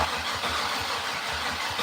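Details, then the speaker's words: Datsun started for the first time in three years: slow, labouring starter churn at about three turns a second that never fires, second try only slightly better; weak crank and no start, with a low battery suspected. "let it chill maybe we might need to charge that thing back up a little bit start sounded a little weak that sounded a little better though very little very little bit better"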